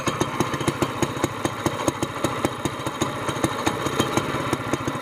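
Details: Honda GX200 mud motor idling after the broken SPS exhaust was replaced with a Robertson's torque tube short pipe and screw-in muffler, choke off: small single-cylinder tick with crisp, regular, much quieter exhaust pops; a healthy idle.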